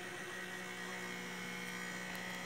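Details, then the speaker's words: Mattel Barbie/Hot Wheels computer on test power supply, motherboard only: steady high rattly buzz from the CPU fan at constant pitch; suspected loose, worn fan bearings, not confirmed. "Uh, we got power, but that sounds terrible. Yeah, that CPU fan is a real problem."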